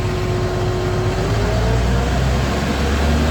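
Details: CAT 966G loader with a freshly overhauled 3176 diesel engine, low on power: uneven misfiring rumble, and rpm climbs very slowly when revved.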